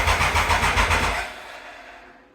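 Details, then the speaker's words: 1996 Triumph Thunderbird after the sprag clutch repair: about five quick starter chugs a second, then it dies without catching. It cranks but won't start; the owner suspects fuel isn't reaching the carb and switches between reserve and main. "Fuel might not have been getting to the carb here, so I heard it actually move around here when I went between reserve or reservoir."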